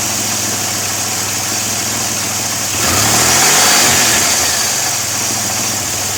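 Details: 2002 Pontiac Firebird 3.8 at idle: strong steady hiss over an uneven idle, swelling with a short rev blip then settling back. An intake vacuum leak.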